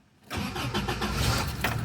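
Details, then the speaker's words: 1992 Toyota pickup 22RE, first start after replacing the starter for intermittent starting, clutch in, in neutral: quick even cranking, then the engine catches cleanly and settles into a steady run; starter working properly. "Ooh. Oh, that sounded really good. Oh my gosh."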